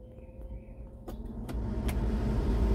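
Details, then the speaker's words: Jeep Comanche MJ with a newly installed replacement blower motor, key on at the maximum setting: a smooth rush of air over a low even hum, no squeal, tick or rattle. The resistor works, but air isn't reaching the vents. Normal blower operation. "this one sounds good and quiet okay let's go see what it does inside turn the key on and let's turn this thing to maximum AC of course we don't have AC"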